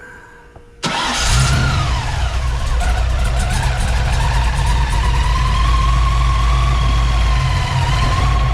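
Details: Ford Fox body with blower carburetor, just reassembled after power valve conversion; cranks and catches within a second, settles to steady even idle with faint blower whine; sounds healthy.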